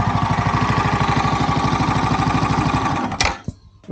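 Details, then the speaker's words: Yamaha YZF R125 under crash-damage rebuild, fast idle during a check of the exhaust, then the engine stops: even single-cylinder beat, no ticking or puffing at the joint; no gaps, cracks or leaking fumes, only a new sleeve needed. "looks good no gaps or cracks no exhaust fumes coming out where they shouldn't be we are happy here"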